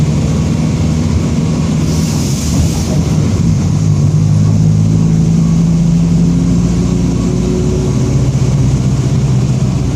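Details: 2007 Torino bus on Mercedes-Benz OF-1722M chassis, cruising in service: steady low droning growl under diesel and road noise, tracking road speed; worn growling rear differential.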